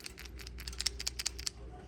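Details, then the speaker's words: Removed PCV valve from a Chrysler 300 (valve integrated into the intake manifold), shaken by hand: crisp, irregular metallic rattling clicks show the valve moves freely and is not clogged, a good sign. "You can hear that when I shake it, which means that our um our our valve itself is able to move freely, and that's a good sign."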